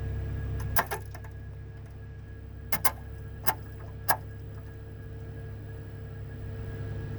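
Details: CJ3, parking brake being released while the pump runs: several sharp clunks over a steady pump hum; abnormal brake noise, cause not yet known.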